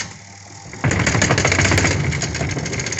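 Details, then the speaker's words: Home spin dryer motor at start-up: rapid, uneven knocking about four per second as it spins up, caused by a loose clamp on the motor shaft coupling. "जब यह motor start होती है dryer की तो काफी ज्यादा डलक मारती है इसमें आवाज आ रही है"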